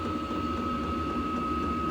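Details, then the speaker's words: Hcalory diesel air heater on a 12 V battery, thermostat lowered about 8° from 67 in a warm room: steady fan hum with a soft ticking pump pulse slowing down; normal fuel pump pulsing at low setting. "And uh yeah, it sounds like it's it's slowing down now. I can hear the pump is not pumping as fast as it was. And I just turned it down like 8°."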